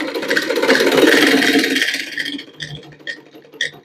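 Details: Old sewing machine after tightening loose lower parts, run without thread: even whirring then scattered light clicks as it slows; the remaining rattle comes from the loose hand-wheel, lower noise fixed.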